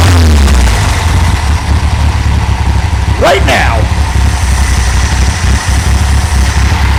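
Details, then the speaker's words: 1964 VW Beetle air-cooled flat-four, started still warm with automatic choke after the ignition coil was replaced, catches straight away and settles into a steady, even, low idle with no misfire: running healthy. "all right that was still a bit of a hot start I'm gonna wait for that uh choke to actually quote that element or whatever to actually cool down"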